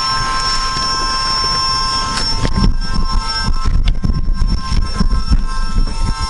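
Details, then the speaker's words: AWD CB7 Honda Accord fitted with a Volvo electric power steering pump, after fixing its leak with no leaks showing: a steady high whine from the pump over a low rumble and a few knocks. "noise, the whining sound is the pump."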